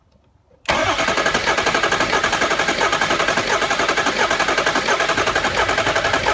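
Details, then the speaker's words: Diesel truck after replacing all eight injectors and fuel filters, compression test while cranking: fast cranking beat with one soft uneven stroke per cycle; number eight cylinder reads zero versus about 300 psi expected, cracked piston suspected. "second so you can even hear it not sounding right on the crank and they're not getting any pressure whatsoever um on these diesels you should see about 300 lb um but there is absolutely nothing"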